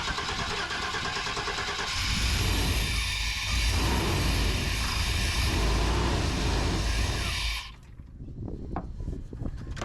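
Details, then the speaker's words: 1994 K1500 Suburban: starter churns steadily for several seconds but the engine never catches, then stops; fuel pump judged dead, no fuel delivery; pump to be replaced. "Yeah, I'd say this carburetor, the fuel pump's off."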